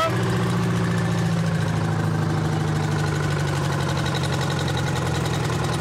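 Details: Champion motor grader with a Detroit diesel that sat locked up for 7 years, now freed: steady, even chug at a settled idle with a firm low rumble, no knocks or misses; normal running.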